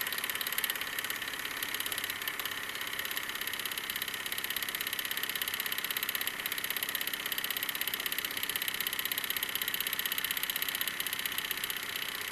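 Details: Wilesco D-18 tabletop steam engine running outdoors: light, quick, even chuffing tick about four beats per second, high and thin in pitch; normal smooth running.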